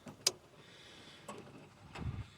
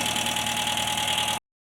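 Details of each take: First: Talbot Express petrol motorhome, crank no start: a few quiet clicks, then the starter churns the engine at a steady beat but it never fires; fuel present, no spark at the plug lead, faulty HT plug lead diagnosed. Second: Talbot Express petrol motorhome after crank-no-start from faulty plug lead, fixed with new coil lead, coil connections and spark plug leads: even, steady running with smooth exhaust note, no misfire; starts much better; normal idle.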